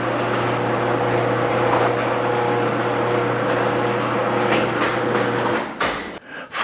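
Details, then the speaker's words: Garage door after replacing all 12 metal rollers with nylon rollers: steady low opener motor hum with no clatter or squeal from the rollers; quiet garage door operation. "under $30, you can make your garage door sound brand new and save years of strain on the opener."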